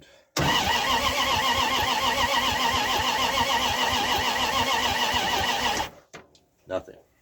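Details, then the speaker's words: 1978 Dodge D100 after a fuel pump swap, with fuel poured into the carburetor and the battery getting low: starter turns the engine steadily for about five seconds with no fire, crank no start; owner suspects pump not pumping or a clogged line. "All right. So, either the pump's not pumping or there's some sort of clog in the line."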